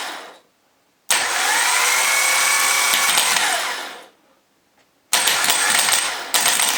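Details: Jaguar X-type/Ford Transit/Mondeo starter motor bench-tested on an old, slightly flat battery after cleaning and oiling: two bursts of high, even whirring with no grinding or stutter; it now spins freely and sounds better.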